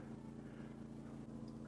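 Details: GENMAX 9000ied generator carrying about 3,000–3,300 W of household load (two freezers, two refrigerators, well pump) on a grid-down test: steady, even engine hum at constant pitch with no surging, misses or knocks; running comfortably under load.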